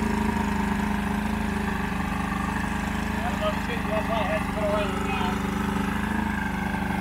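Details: Old 90hp Johnson two-stroke outboard on a 1987 Crestliner, sat about a year, fresh plugs: ragged unsteady beat surging slightly; rough running, needs carb work, engine getting hot.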